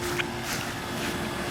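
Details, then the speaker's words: Two 2002 2-ton Comfortmaker 10 dual-zone AC condensers with reciprocating compressors, 88°F humid day, heard from the edge of the property line: faint, steady low hum under light wind, quiet and even, normal running. "This is at the edge of the property line, and you can hear them, but for 2 units with reciprocating compressors, they're not loud at all."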